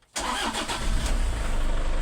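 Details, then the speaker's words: 2005 Toyota Innova previously not cranking or starting, during troubleshooting with battery and alternator checked good and voltage not dropping too low: short crank catches almost at once and settles into a smooth steady idle; normal crank and start. "Meron na. May cranking na."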